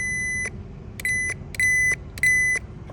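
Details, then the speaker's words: Toyota Camry with codes P0441 and P0455: EVAP purge valve removed and powered with 12 V from a power probe, giving test-probe beeps and solenoid clicks as it opens and closes, but it responds very slowly. "Yeah, so I hear it clicks. It's open and closed, but it's very slow though."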